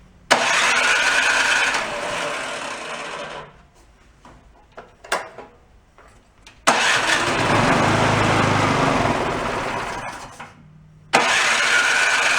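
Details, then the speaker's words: Garage-sale two-stage snowblower, started on choke with a squirt of fuel: small engine catches and runs loud and ragged, dies after a few seconds, restarts and fades again; stalling, with debris (a white speck) suspected. "there it is no if it shows up a little white speck right in the middle got me"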